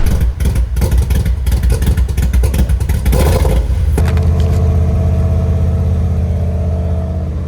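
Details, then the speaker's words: Fuel-injected Mustang after replacing a 25+ year old failed fuel pressure regulator, an oil change and a new Holley Terminator X: several sharp throttle blips, then a steady even idle with no misses; runs much better. "Oh, it sounds so much better. Oh my goodness, I think that was it. Let's give you guys a closer look at what it sounds like with all of this work done."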